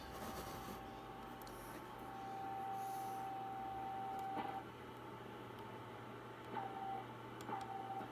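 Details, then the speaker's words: Drake R4C receiver calibrator board running on a substitute watch crystal, heard on the tuned receiver: steady mid-pitched tone, then short keyed blips start promptly over a low hum. Clean, normal calibrator signal. "tune the receiver a bit and see if we can find it sounds clean doesn't it"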